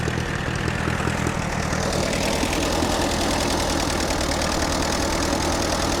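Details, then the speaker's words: Allis-Chalmers C tractor with a Woods L59 belly mower at its first start of the year. It idles with a steady, low, even chug and no knocks or misses; it sounds normal. "Seems to be running good."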